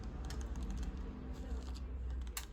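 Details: Pexma Maximum 21-speed mountain bike (3 front, 7 rear) from A101: light, crisp clicks as the shift lever steps through positions, no grinding or rattle; shifter works cleanly.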